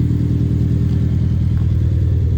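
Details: 2011 Hyundai Genesis Coupe: low idle with uneven, lumpy pulse and rhythmic stumble; cylinder 4 misfire, a common issue.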